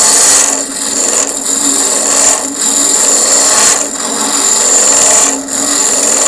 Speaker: when you hear that screeching that means that I've just come off the cut and I'm putting too much pressure on